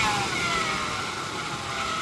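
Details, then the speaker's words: 1998 Ford Explorer, sat five years, fully warm engine: a thin high screech rises in pitch when revved but is absent at idle; the owner suspects a worn belt or a pulley. "When it's idling, you don't hear that weird screeching noise, but when you rev it up, you sure do hear it."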